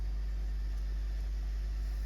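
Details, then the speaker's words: Heathkit AJ-41 tuner warming up on a variac around 70 volts AC: strong steady low mains hum with faint hiss, rising with voltage; loud hum, cause not yet found, owner suspects arcing components or amplified statics. "I'm starting to hear Statics hope you you hear too it's a very loud hum"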